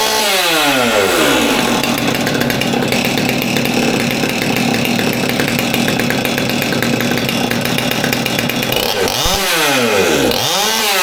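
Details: Old Stihl MS200T top-handle chainsaw that idled fine but wouldn't rev, now reassembled after teardown with the fuel line replaced (suspected cause): revs up cleanly, holds a steady high-pitched scream without bogging, then drops smoothly back to idle; running right.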